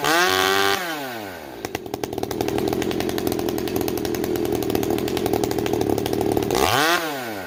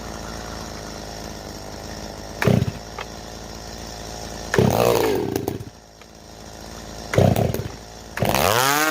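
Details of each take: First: Stihl MS390 chainsaw with Ironhorse straight-pipe muffler, rings not yet seated. Revs up, then settles into a steady, even buzz with slight rise and fall. Normal idle, fluctuating until the rings seat. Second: STIHL MS390 chainsaw with IRONHORSE straight-pipe muffler, being tuned with the carb high jet opened past about 1.5 turns and idle raised: short, uneven revving bursts that sag and fade; won't hold a tune. Cause unconfirmed.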